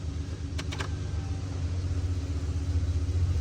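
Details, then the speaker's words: 2015 Ram 1500 after replacing cylinder 5 ignition coil with a used coil for jerking and misfire: deep even idle rumble, steady beat, no skip; misfire fixed. "sounds [Music] good it's not missing feels good"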